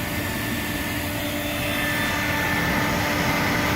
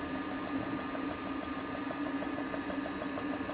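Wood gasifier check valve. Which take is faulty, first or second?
second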